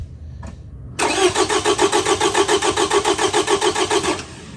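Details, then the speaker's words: V6 with a cylinder 3 misfire (P0303), cranked with ignition or fuel disabled for a relative compression test: the starter turns it steadily with even chugs about 3.5 per second. The peaks are even, so no compression issue is likely. "going so each Peak is a compression stroke so right now basically you're looking for a difference between them and so these are all looking pretty good which means that this car in all likelihood does not have a compression issue"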